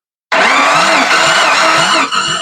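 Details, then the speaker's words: 1993 Jeep Wrangler barn find, after fitting a rebuilt donor cylinder head with new head bolts: starter spins the engine fast and evenly with no firing or labored compression strokes; little or no compression. "All right, so not what I wanted to hear. We don't have compression. um or not much of it, which is really strange because I know that the cylinder head came off of a running engine."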